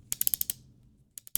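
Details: Sound of cocking an FDM or resin 3D-printed 1851 Navy replica revolver kit (not a real gun) after reassembly: crisp, even clicks in two quick bursts of about five as the hammer is drawn back; the action indexes cleanly, normal cocking.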